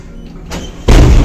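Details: Early-style lift in Tallinn with a first-generation motor from around 1997: the doors close with a sudden heavy low thud and slam instead of easing shut, which is abnormal.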